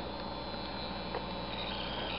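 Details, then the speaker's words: Plain DC model locomotive run on a DCC track using address 00 from the DCC controller: a constant thin high-pitched buzz over a low hum from the motor being fed digital track power; headlights also come on at full power. "It causes this buzzing sound that you can hear, that high-pitched buzz."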